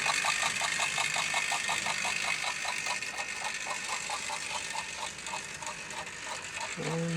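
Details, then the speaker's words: Albert Hall model locomotive coupled to its tender with chuffing sound, under power on the track: slow steady chuffing about 170 beats a minute over a bright mechanical hiss, running evenly and healthy, though owner notes it's slow and wonders if a new magnet would help. "Let's apply a little power and see as she goes. There she goes. And can you hear that chuffing sound?"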